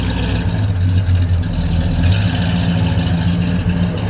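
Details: 1978 Ford XC Cobra, first start after six years sitting in a garage: deep, steady low rumble at idle with an even beat and no knocks or misses. Engine sounds healthy.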